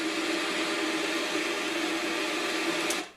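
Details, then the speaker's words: VCR, tape loaded: thin motor whir and gear buzz then abrupt cutoff as the transport tries to eject when play is pressed, power later drops out; cause unknown. "The light comes on, I'm hitting the play button. It like tries to eject it when I press the play button."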